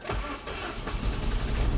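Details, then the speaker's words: 1988 Saab 900 Turbo that sat for decades, started after rewiring: starter cranks in uneven pulses and the engine catches reluctantly, then runs terribly at first; hard starting, owner suspects clogged fuel injectors. "oh now you now you want to start okay here's one of the problems when she first starts she runs terrible"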